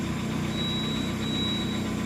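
Steady idle with a faint constant whine and light rumble riding over the engine; that points to a worn alternator bearing.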